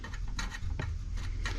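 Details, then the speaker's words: 1955 Willys Jeep CJ-5 with a new alternator and fan belt: a slightly out-of-true fan hub gets pressed back at speed and its rim just barely rubs, giving light scraping ticks every few tenths of a second; fixed by bending the rim and greasing. "That just barely rubs. Now, I used a screwdriver down in there and I bent the rim of the hub a little bit where it's uh too close."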